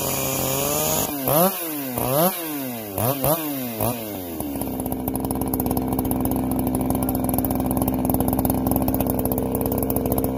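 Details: Freshly ported chainsaw with muffler mod, low hours and good piston, chain just sharpened, warmed up before cutting: crisp blips up and down, then a steady high scream as it digs into wood, holding revs cleanly without bogging; healthy saw.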